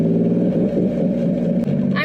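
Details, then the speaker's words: Drift car after drag runs, redlined earlier, stalls when throttle released, owner hopes a factory ECU safety cut; engine drones at steady low pitch, won't rev past about 2000 rpm, cause unconfirmed. "why you made that noise listen punch that's at 2,000 rpm which is nothing watch listen"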